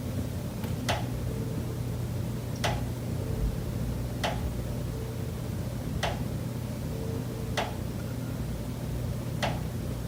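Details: Condo unit, September: sharp single knocks every one and a half to two seconds over a low steady hum. Pipes behind the kitchen wall knock constantly day and night, audible through the kitchen and living area; cause unknown.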